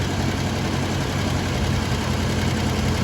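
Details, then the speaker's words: 1972 XA Ford Falcon, off the road 16 years, air cleaner on, idle screw turned to lower the idle while still warming up: smooth, even, low-rumble idle with no stumble or ticking. Normal idle. "Alright, I've thrown the air cleaner on just because it's a little bit dusty, but we're going to just turn this idle screw in. So I just want to bring that idle down a little bit."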